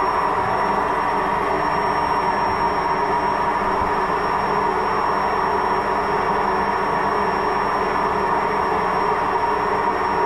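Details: Washing machine with drum bearing failure, loud continuous rumbling roar that stays even through the spin; bearing needs replacing.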